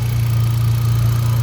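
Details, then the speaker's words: 2018 Hyundai Accent gasoline engine, previously cranking but not starting, now running after fuel pump relay swapped with horn relay; steady even low idle hum, constant pitch, no misfire; charging 14.3 V, problem solved. "ayan walang problema sa ngayon."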